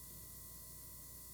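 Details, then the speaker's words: YC Onion Hot Dog 31.5-inch carbon-fiber motorized camera slider, recorded by camera mic about one and a half arm lengths away: faint steady hiss with thin high whine, drive motor noise when crawling below 50% speed. "what i'm hoping is that that hiss or that hum or that buzzing or what however you want to describe it i'm hoping that it um doesn't bleed its way too far into the soundtrack"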